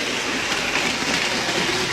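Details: Bachmann HO-scale Canadian diesel (black one), serviced after poor running, on about 9 V and 400 mA from a Tech 2 controller at 45%: steady, even motor whir with light rail clatter, no grinding or stutter; the loco now runs smoothly, though it drifts on power cut.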